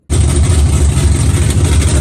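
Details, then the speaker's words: Hemi V8 swap with extra coils and XFI-triggered fuel pump, first fire-up: catches instantly, loud steady deep idle, no misses or knocks, likened to a top fuel car; normal idle. "sounds like a top fuel car!"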